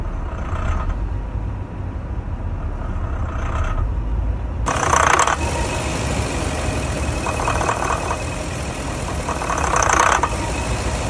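Warm engine idling with an uneven, lumpy beat and loose rhythm under a low rumble; rough idle, cause not evident.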